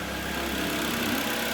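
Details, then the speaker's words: Mitsubishi Lancer 10 with 1.5 4A91 engine and automatic, about 261,000 km, after rebuild for high oil consumption and piston knock, warmed to operating temperature, heard from outside: quiet, smooth, even idle, no ticking or knocking; normal. "работает ровненько работает тихо самое главное"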